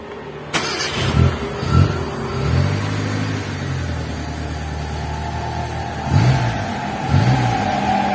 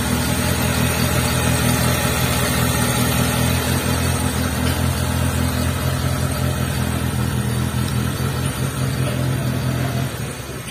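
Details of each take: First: T120SS carburettor engine after fixing an oil-filled, leaking distributor seal: even idle with crisp throttle blips, no stutter or misfire; now running smoothly. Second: T120SS carburetor engine that starts easily but stutters at part throttle, with thick black exhaust smoke showing incomplete combustion: an uneven, chugging, stumbling beat. Possible causes named include oil fouling the distributor via a leaking seal, a dirty carburetor and ignition parts.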